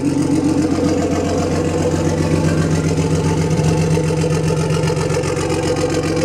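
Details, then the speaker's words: BMW E36 320i turbo drift car, just restarted after refuelling: an even, steady idle pulsing at about 2.5 beats a second with no misses or hunting, described as running like clockwork; a normal, healthy idle. "Ah oui, c'est vrai. Ça tourne comme un réveil."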